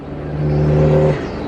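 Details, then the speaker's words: Isuzu Bighorn with Mambo upgrade turbo replacing worn stock unit, first gear: smooth whirring holds under load then fades cleanly as throttle closes, spooling down through the intake; healthy. "yeah, the way it spools down again Yeah. through the intake. Yeah, it sounds badass."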